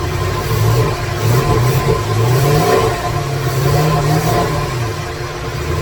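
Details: 2017 Corvette Z06 with Texas Speed 416ci stroker, Holley port injection, first fire-up with no tune, no coolant: deep rumble with wandering idle surging and sagging unevenly; rough running from missing tune.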